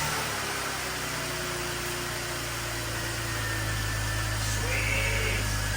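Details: 1966 Mustang on swapped BMW chassis after swap: even, steady low engine hum at idle with smooth beat and no knocks or misses; no check engine lights, only a headlight warning; idle sounds healthy.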